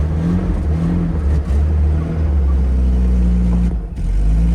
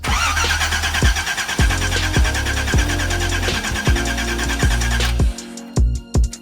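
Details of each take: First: Datsun 280ZX after a new fuel filter and added gas: the engine catches and holds a steady, even low run, with a brief rev rise and dip near the end. It is finally running normally. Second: Datsun 280ZX after a new fuel filter was fitted: the starter spins the engine evenly, under two beats a second, but it never fires. It cranks but won't start; the owner suspects the tank is out of gas.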